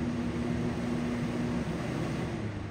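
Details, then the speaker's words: Greenhouse fan with a low drone that wavers and sags instead of holding steady; it doesn't seem to be doing well and may need replacing, cause unknown. Fan surging. "hear it surging and all that it just doesn't seem like it's doing well so that may have to be replaced"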